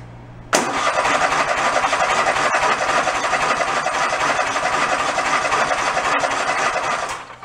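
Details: Toro zero-turn mower sat about 10 years, after carburettor float and fuel-delivery checks: fires instantly and settles into a steady, even mid-pitched run with no misses or knocks; running normally.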